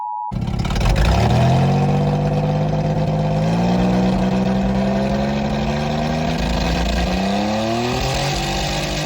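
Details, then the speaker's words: Toyota pickup V6 after driving through a water hole and clearing water from the cylinders: rough, uneven running rising and falling with the throttle, one cylinder loping and dead with a knock underneath; misfiring, knocking cylinder, cause suspected but not confirmed. "hey this cylinder is noisy now this one hear it"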